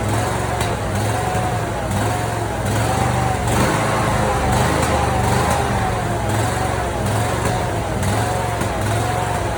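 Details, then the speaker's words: Briggs & Stratton 27hp V-twin on a Simplicity mower with its original Nikki carburetor, before swapping in a replacement carb; uneven idle with irregular pops and backfires about once a second, pointing to poor fuelling. "I'm gonna go ahead and run the mower itself so you can hear how it's backfiring and popping."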